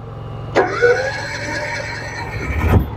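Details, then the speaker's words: Honda EU7000iS generator (389 cc GX390 EFI OHV 4-stroke, fuel-injected), drained then given 32 oz of gas: it catches at once on the first pull and settles straight into an even, steady hum with no stumbling; normal start. "and like I told you the fuel injection always starts right up this thing was completely out of gas and it fires up in one start but Yamaha had to get it primed"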